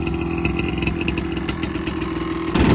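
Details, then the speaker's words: Yamaha Tri-Z three-wheeler two-stroke barn find after new CDI and coil: crisp, even burble at steady fast idle, firing cleanly with no misses, then a brief blip; running well, exhaust pipe possibly a little loose. "She's running pretty good, boys. Sounds like the pipe a little loose."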